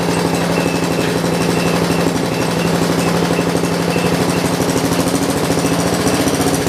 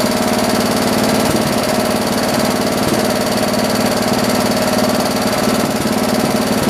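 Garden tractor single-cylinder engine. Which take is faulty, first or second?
first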